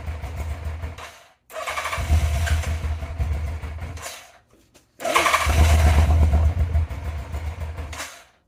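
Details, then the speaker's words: 1987 Yamaha FZR 1000 Genesis after carb cleaning (throttle plates had been fully open), airbox lid missing: two ~3-second cranking tries, sputters and fires a few times then dies; owner suspects airbox lid or fuel running dry. "It wants to run. I probably will run, but once again, 3 steps forward, 1 step back."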